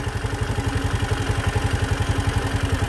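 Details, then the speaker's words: Engine at 62,000 km after throttle body cleaning, idle screw turned down by feel without diagnostic tools: slow, loping putt about four beats a second barely holding on; idle set too low, close to stalling. "mababa na para na siya mamamatay"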